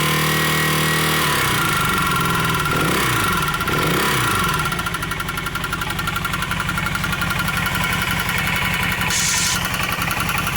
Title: Honda CM400 Engine Knock :o(